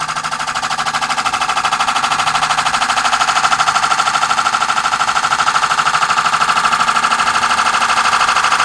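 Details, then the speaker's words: Wood lathe turning a hybrid oak and cast-resin platter with resin-filled holes, light cut at the center: steady, evenly spaced rapid tapping over the lathe hum as the tool catches high spots; interrupted cut on an out-of-round, uneven workpiece. "you can hear that it's you know it's not perfectly round or flat but we're not trying to take a lot off of this either"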